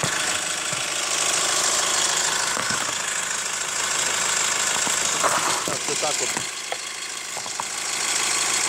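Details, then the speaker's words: Hyundai ix35 CRDi 136 hp diesel, hot engine, heard from the wheel side: light, sharp ticking over a hissy idle that gets crisper with a touch of throttle; cause undetermined, chain tensioner replaced 1.5 years earlier, hydraulic lifters or tensioner suspected. "Интересный эффект возникает, когда чуть-чуть газку добавляешь. Звук как будто становится звонче."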